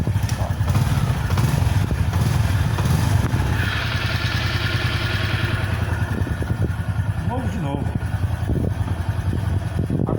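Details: 2011 Honda Biz 125 at 80,128 km, after cylinder rebore, new piston, con rod and both crankshaft bearings: small single with a steady, even low beat, no knocking or tapping; normal idle after repair.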